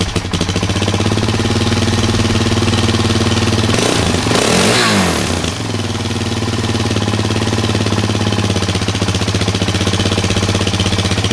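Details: 2003 Kawasaki KFX400 after 6–8 months storage, carburetor cleaned and reinstalled: single-cylinder thump settles into a steady idle with one brief throttle blip; runs smooth and even, no misses.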